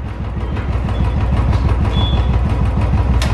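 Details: Royal Enfield Bullet with a starting problem after running, spark plug checked and part replaced: even single-cylinder thump at idle, about six beats a second with no misses; starts first try after repair, normal idle.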